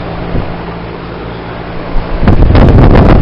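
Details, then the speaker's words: 2016 3.5-ton Lennox Merit Series heat pump starting in heat mode: low steady hum then outdoor unit kicks on with rising whoosh and rattle; compressor barely audible, noise mostly from fan; normal quiet start-up. "Yeah, I can't even hear the compressor. All the noise seems to be coming from the fan."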